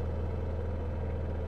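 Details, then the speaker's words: Honda EU7000is generator just after fuel pump replacement, fuel pressure at 43 psi on a test gauge: steady even low hum with no surging, misses or hunting, running "like butter"; normal running. "Oh, that's better. 43, right where she's supposed to"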